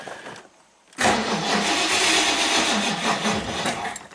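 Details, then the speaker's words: 1969 Ford Mustang Mach 1 sitting for years, only a few gallons added, no manual fuel pump prime; steady fast starter cranking for several seconds, never fires; no fuel reaching the carburetor bowl. "Apparently, the owner added a few gallons into the tank, but the uh I don't know if there's a manual prime for the fuel pump. We need gas first."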